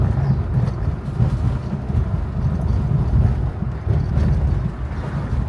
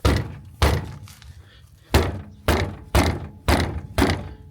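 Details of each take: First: 2007 Hyundai Santa Fe 2 after fixing its rattling front brake pads, driven deliberately over potholes: steady low road rumble with no metallic ringing from the front brakes, only a slight rattle perhaps from the glovebox. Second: 2007 Hyundai Santa Fe 2: heavy uneven clunks from the front over bumps, from front brake pads loose in the caliper bracket.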